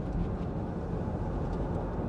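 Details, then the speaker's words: Nissan Elgrand E51 (2005 or 2007), driving after replacing worn front anti-roll bar drop links, over the bump that always triggered the noise: steady low road rumble with no knocks or clunks; front suspension now quiet. "that is so much quieter and whilst i always knew what it was um it doesn't alter the fact that you often wonder should i pull over and have a look at that again"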